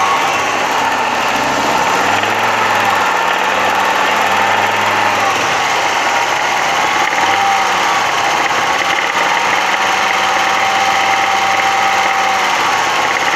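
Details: Audi 100 2.3 (NF engine): engine revved repeatedly with a rough, rattly edge building at higher revs; knock from about 3000 rpm and up, clearer under load, cause unknown.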